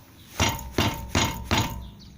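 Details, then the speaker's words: VW Jetta 1.6 automatic, front left wheel: four sharp metallic knocks about a third of a second apart; stops when the brake is pressed, traced to the front left caliper/pads after the stabilizer links on both sides had been replaced. "итак смотрим стучит суппорт колодки переднего колеса двигатель 16 автомат вот такой вот стук"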